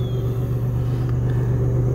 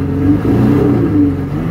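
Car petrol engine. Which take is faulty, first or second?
second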